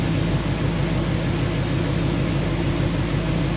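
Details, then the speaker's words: 1985 Chevy truck, carbureted V8, after carburetor rebuild with old float replacing sticking one; previously died when put in gear. Steady, even low rumble in reverse without stumbling or dying: normal idle in gear. "Start it, baby. It sounds good. It's running smooth."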